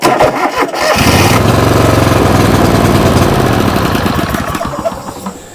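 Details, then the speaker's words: John Deere LX188 riding mower: sharp clicks, then labored, uneven cranking that struggles and fades; owner suspects the starter is internally sticking; cause unconfirmed. "the starter sticking pretty much it's internally sticking and I may be able to take it apart and just kind of clean it out and put it back together"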